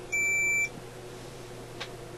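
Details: Sparton Model 67 vacuum tube radio: a single high ohmmeter continuity beep of about half a second after a broken wire connection was re-soldered several times, confirming the connection is now good.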